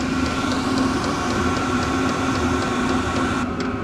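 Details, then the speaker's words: Vevor 8kW diesel heater on its first startup after install in a Kawasaki KRX 1000, run without its intake muffler: steady loud roar with rapid even pulsing and a fan hum, producing good heat; normal running, just loud. "But we aren't running the muffler because when the KRX is running, it is already loud, so I don't really care about the how loud it is. But you guys can hear this thing going. It is loud."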